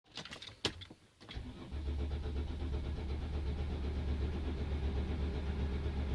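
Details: Mercedes Sprinter diesel hard start: several seconds of slow, uneven cranking before it finally catches and settles; cause unclear.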